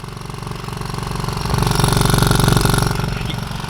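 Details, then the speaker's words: VW Mk7.5 Golf R with aftermarket APR valved exhaust, heard outside at idle: deep steady petrol idle with fast light rattling buzz from exhaust valve flaps moving back and forth; owner guesses there's no fix. "the issue is the rattling of the exhaust flaps and i know other people have had this on their car and it bugs them as well take a listen can you guys hear that that's the exhaust flaps in the exhaust is kind of going back and forth it's super annoying just hearing it idle"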